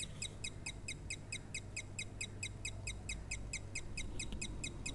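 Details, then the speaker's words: Doorbell under repair, powered on: faint, thin chirps repeat rapidly over low hum, with sparking at a wire. Weak doorbell chime, barely sounding. "कुछ इस तरह की हल्की सी आवाज़ इसमें से ए रही है दोस्तों इसमें से सिर्फ अब इतनी सी हल्की सी आवाज़ महसूस हो रही है"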